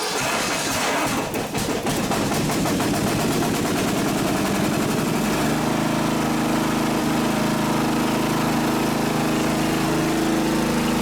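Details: Riding mower that had been stuttering and sputtering, started after cleaning its gummed-up carburetor, with the float bowl refilling: brief sputter, then a steady, even run with no misses or hunting. Normal running after the carb fix.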